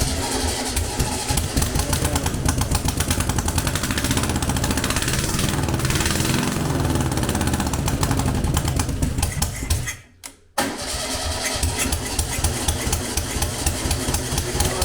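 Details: Air-cooled VW Beetle 1200 engine, long dormant, on a test stand, cold on choke, float bowl just filled: runs lumpy and uneven, one beat missing, then stumbles and dies briefly; one cylinder has no compression from a stuck lifter.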